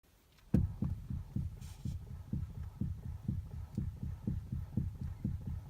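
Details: Toyota Avensis: dull, low, evenly spaced thumps about three times a second over a quiet background while the steering wheel is turned. A steering knock, cause not identified.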